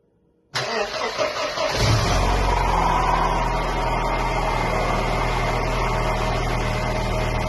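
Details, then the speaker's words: 1993 Mercedes-Benz 124 E220 coupe, 2.2 four-cylinder, after water pump replacement: brief crank, catches and idles steadily with the earlier bearing noise gone; normal start and idle. "And as you can hear the bearing noise that we heard before is now gone. So, good job."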